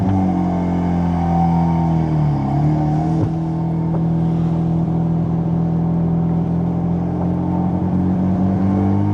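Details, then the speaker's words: Mazda RX-7 rotary on city roads: smooth, consistent growl with a steady low buzz climbing with speed, holding a note around 3,000 rpm, no misses or knocks; healthy rotary under acceleration. "Just hearing like a growl like that, smooth, consistent. I'm just like, hell yeah."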